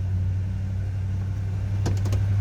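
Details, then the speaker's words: 1977 Dodge Charger SE, 360 V8, 84,146 miles, stored inside: cold start at raised high idle that will come down as it warms, a steady, low, even rumble with a few light clicks; normal cold-start high idle. "was a cold start, so we're going to have a little higher idle here for a second. I'll get it to come down off the high idle as it warms up."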